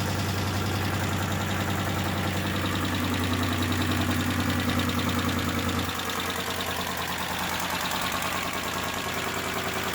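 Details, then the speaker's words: Original 2.9L engine in a 1987 Ford Bronco II, at start-up idle: uneven idle with a dull, steady knock about three per second; owner says rod knock, and oil was found in the coolant. "It was obvious though that the engine was bad. It had, you know, as soon as you started it up, you could tell it had rod knock."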